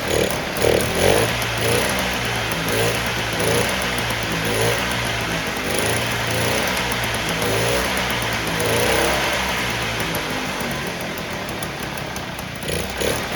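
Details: 1958 Allstate (Sears) Vespa 125cc two-stroke, sitting about a year, started first kick on choke with fresh gas; busy even putter idle through street noise while warming, no misfire or knock, running smooth.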